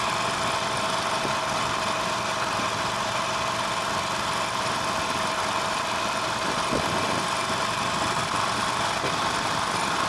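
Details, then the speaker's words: Harley-Davidson Nightster 1200, about 1,200 miles, ridden under aggressive throttle: a dry, tinny rattle rides over the engine note on every hard pull. Owner calls this the most intense case, and the source is still unknown after four dealer visits. "So that's pretty much as extreme as it gets right there. And it's fairly consistent. I mean, it'll do that every time I give it good throttle."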